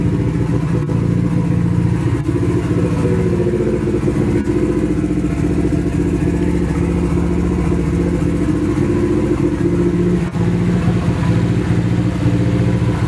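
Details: Nissan 240 with a newly installed SR20, at its first start. It runs through an open downpipe on the original old gas. Rough, uneven pulses stumble and skip while idling and revving. Misfire; owner suspects bad gas, but the cause is unconfirmed.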